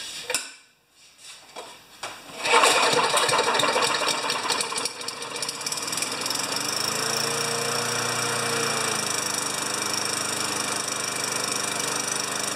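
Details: 29-year-old Rally mower primed with fuel poured down the carburettor into the intake manifold: after a couple of quiet seconds it catches into a fast, rattly, steady run about 3.5 beats a second; starts fine, owner thinks tilting it ran it out of gas.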